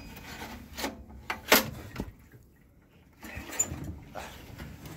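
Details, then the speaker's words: Honda 2.2 kW generator stored 7 years, with some compression: uneven pull-start bursts catch briefly and die, even when primed or given starting fluid; it runs a moment then cuts off, cause not yet found. "uh we gotta run for just a little bit and then we cut off and it would run and cut off and uh no matter what we did if we went ahead and we primed it and we put starting fluid in there uh it didn't want to run"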